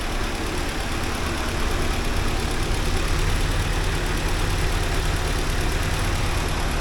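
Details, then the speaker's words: 1979 Porsche 924 finally running after a long struggle, giving a steady, unbroken low idle rumble with no knocks or misses, though pressure still drops off over time. Normal idle. "yeah there it was finally running ehy that's good news that was a took a long time to get there but it's there now so that's good"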